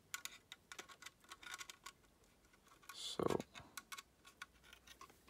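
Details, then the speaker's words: Olivetti Quaderno PT-XT-20 laptop hard drive, removed and powered via a USB interface: faint, irregular ticking clicks with no spin-up hum; the heads are stuck to the rubber bumper and the platters won't turn. "doesn't want to spin up today these cliques mean that the head is stuck to the the rubber bumper"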